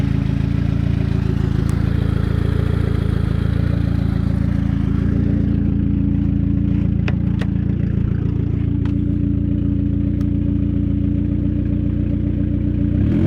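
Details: Saab 9000 at idle: a deep, chuffing, tractor-like putter that thickens as revs rise, a steady low rumble from an exhaust leak.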